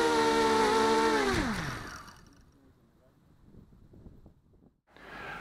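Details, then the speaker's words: ZMR250 mini quadcopter with RC Timer 1806 motors spinning down: buzzy, rattly whine dropping in pitch; worn bearings with about 3/4 mm or more vertical shaft play in some motors. "the motors on this these are the RC timer 1806 Motors they're pretty worn and there's a little bit of vertical movement in some of the motors"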